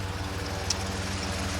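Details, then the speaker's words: 1967 Jeepster, Buick 225 V6, ME Wagner adjustable PCV added for suspected vacuum leak, temporary fixes, not fully warm, in gear; low lumpy uneven idle, engine rocking, mower in background; stalling fixed but still rough idle; smoother and faster in neutral. "So it's taking care of the stalling issues, but you can still see that motor's dancing pretty good."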